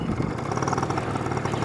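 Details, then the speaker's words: Honda Spree scooter after a $50 rebuild kit and brake repair, at 25 mph running uphill: steady, buzzy two-stroke note, even and unbroken with no sputter or bogging; normal running. "Now there we hit 25, and we were running uphill. There's Summer. Yeah, she's really running good."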